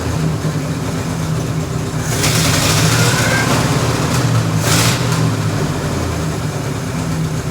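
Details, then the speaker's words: 1942-47 Ford F5 one-ton dump truck with flathead 8BA V8, first start in years after freeing stuck valves; carburetor primed by hand, accelerator pump dead: lumpy but steady idle on its own with brief revs; carburetor still needs rebuilding. "so now that we got the truck to run on its own the carburetor needs to be rebuilt so it's gonna go off to get rebuilt"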